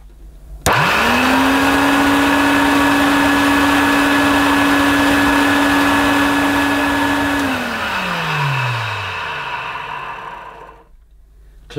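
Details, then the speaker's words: Old faded Electrolux 502 vacuum cleaner, donor machine, first run: spins up to a harsh, rough drone then winds down; doesn't sound right, owner suspects a motor swap needed. "hmm no that's not very good that is not what it should sound like at all i'm sure my other one sounds better than this so it could be a motor swap needed"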